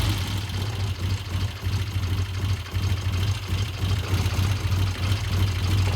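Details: 1972 Triumph TR6 vintage British motorcycle on a test ride after repair, running cold before warm-up: an uneven, lumpy low thump with wavering beats; it sounds a little rough, and the owner suspects it may just be slow to warm up.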